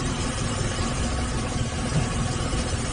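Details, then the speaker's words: Zebra Espass in EFI mode, engine idling, with the electric fuel pump wired through a relay to the oil pressure switch so it stops when the engine stops: fast, even klak-klak clacking over a steady low idle. The pump is operating normally. "Ya, rotak pun berbunyi ya teman-teman. Terdengar suara klak klak klak"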